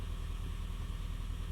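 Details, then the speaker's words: Honda Fit GP5 hybrid, 175,000 km, warm, at incoming diagnostics with misfires logged on cylinders: low idle with a slightly uneven, pulsing beat and no steady rhythm; misfiring blamed on a dirty, sticking throttle body needing cleaning. "дросель в стопроцентно заедания надо чистить Короче у тебя дросель грязная"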